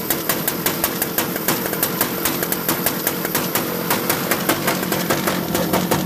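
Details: Mini Rok kart two-stroke after replacing starter ring gear and Bendix, first startup following hard starting: crisp steady fast idle, even firing, no misses or starter noise, running healthy.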